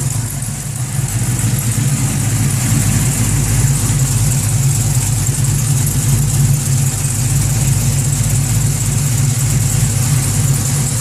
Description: Weird clanking sound. Not sure if its an exhaust leak, Valvetrain or Longtube header noise?